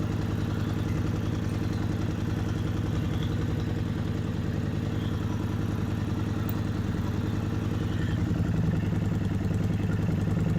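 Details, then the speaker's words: Kawasaki Vulcan 750 V-twin idling, manual cam chain tensioners loosened one full turn past the starting point: light rapid metallic clanking as the slack cam chain slaps its guide, demonstrating a loose cam chain. "and then to show you further what a a loose cam chain um sounds like I loosened it further to one full looser turn from my starting point and you heard the clanking really bad"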